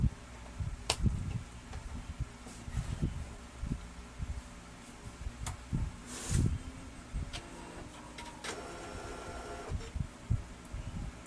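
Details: Brother DCP-L2540DW laser printer: quiet hum broken by irregular low clunks and brief gritty grinding bursts as the paper feed runs, pointing to worn or damaged drive gears. Cause suspected, not confirmed.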